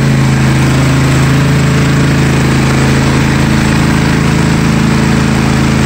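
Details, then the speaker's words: Yard King hydrostatic riding mower idling with the hood down, otherwise running well: a regular low rumble about three times a second underneath; owner suspects an idler pulley going bad. "Can hear it. I think there's an idler pulley going bad."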